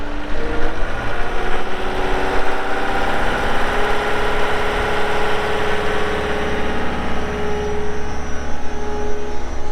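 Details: 2020 Caterpillar 299D3 skid steer diesel, 2,159 hours: deep, even drone easing up and down with no knocks, misses or rattles; engine sounds healthy.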